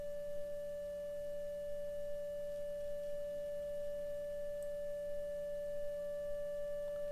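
A clean, steady mid-pitched test tone over a faint low hum, with no buzz or rattle: the speaker is reproducing properly.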